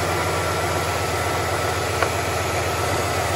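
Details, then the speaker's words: 1967 Impala carbureted V8, after replacing the carburetor-to-spacer gasket: steady low rumble and hiss with no change when sprayed with brake cleaner, so the vacuum leak is fixed; normal idle. "there's no change vacuum leak fixed"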